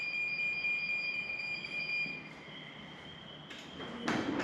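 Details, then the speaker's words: Genie 6172H-0 wall-mount smart jackshaft opener beeping and flashing its light before closing the C.H.I insulated steel door when closed from the app. Evenly spaced high-pitched electronic beeps, then the motor starts: normal pre-move warning beep. "Now I think it's going to do the same thing here. There it beeps, it flashes the little light."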